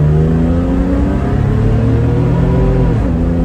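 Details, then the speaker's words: 2001 Isuzu VehiCROSS V6 revving hard under acceleration while driving in four-wheel drive, with a raspy, puffing edge from a small exhaust leak. "like i said the uh um the uh little exhaust leak that you'll hear a little sticky"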